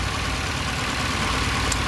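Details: Fuel-injected car, fuel-thirsty and weak: slightly uneven, shaking idle with no change when cylinder 3's plug lead is pulled, so that cylinder is likely already misfiring; coil or electrical fault suspected, not confirmed.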